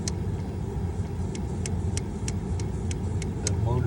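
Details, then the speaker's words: 2011 Seat Ibiza 6J 1.2 TDI idling in neutral: sharp, even ticking about three times a second from behind the glove box, where the broken air recirculation flap motor sits; fix is replacing the motor. "motor is broken, as you can see."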